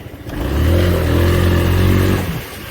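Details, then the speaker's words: 2019 Honda Forza 350/300 single-cylinder scooter after chassis repair, on test ride with full throttle then full braking: engine revs smoothly and evenly, earlier vibration and rattle gone. "불에 앞에 땡겼다가 브레이킹 앞에 땡겼다가 브레이킹 했을 때 떨림이 없죠"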